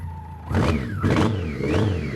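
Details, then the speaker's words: BMW K100 after about three years' storage, fuel dripping from the tank: rough, uneven engine note rising and falling with short throttle blips. Runs on its own, normal running. "I mean, you can see it's dripping fuel out of the tank there, but it runs. How does it even run? Look at the state of it."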